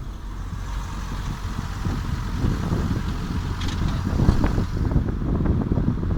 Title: Passat 3C - wheel clatter noise